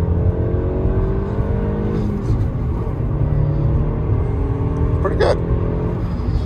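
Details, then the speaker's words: 2008 Audi A4 2.0T Quattro 6-speed manual four-cylinder, accelerating hard on the road: engine note climbs evenly through the gear with no stumble or miss; pulls cleanly, running healthy. "pulls hard yikes oh my goodness much better much better wow this is a quick little four cylinder [Music] well i'd say this thing runs pretty good pretty impressed so far"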